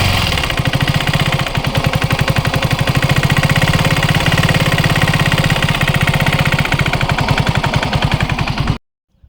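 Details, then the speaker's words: KTM Duke 200 single-cylinder engine running with loud rapid knocking, about four per second, under a harsh rattle; mechanic hears two noises, bore noise and connecting rod/crank knock, before opening the engine. "మనకి రెండు సౌండ్లు అయితే వినిపిస్తున్నాయి. ఒకటి bore sound వినిపిస్తుంది, ఇంకొకటి connecting rod crank sound అయితే వినిపిస్తుంది."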